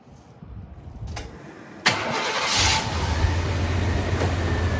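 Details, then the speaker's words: 1995 Chevy G20 van, 350 5.7L V8, after fitting a new Duralast starter without shims: short, steady cranking whir, then catches cleanly and settles into an even idle; starter sounds healthy, normal cranking and start. "well guys that sounded like success to me the starter sounded great"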